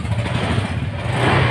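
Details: Honda Vario fuel-injected scooter idling after a no-start with MIL code 12: smooth, even low putter, no misses or knocks; running now, though owner expects the code 12 stall may return.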